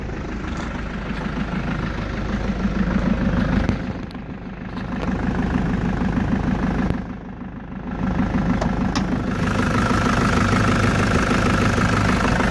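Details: Engine cold-started after sitting overnight, idling with a fast, fairly regular light tapping over the rumble; owner suspects valve noise, unconfirmed.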